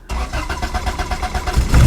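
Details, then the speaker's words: Honda/Acura DA Integra bought from a tow yard: quick cranking, then it fires and runs only on starting fluid. No fuel delivery because the fuel pump cut-off switch under the back seat is off. "Oh, it runs. Okay, it has a something wrong with the fuel pump. Let's look around and try to find what's going on."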